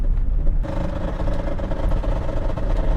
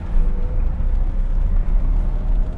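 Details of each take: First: V12 BMW E32 750iL on its first drive in 6 years, at about 90 with the whole car shaking; a dull mid-pitched drone and rattle over road rumble, the exhaust heat shield rubbing the driveshaft. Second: V12 BMW E32 750iL on the autobahn after tightening the ball joint; only low even road and engine rumble at speed, no scraping, quiet driveline.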